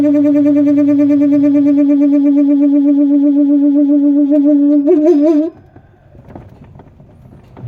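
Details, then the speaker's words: Samsung twin-tub washer, spin side near the motor: steady high squeal holding one pitch through the spin, wavering slightly before cutting off; dry spin basket shaft seal squeal, basket then removed for repair. "Se escucha un ruido, amigos, que viene de esta parte de aquí, donde está el área de centrifugado, por donde está el motor, amigos. Se escucha un rechinido."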